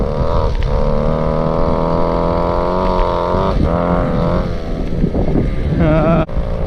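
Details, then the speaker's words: Go-Ped Sport two-stroke unused 15+ years, exhaust routed into the body, dirty carb, right after the choke is taken off: high buzzing note holds steady then rises and falls cleanly with throttle; running strong. "Now that I hear some noise, I take the choke off. We'll see what happens. That sounds like a live Goped."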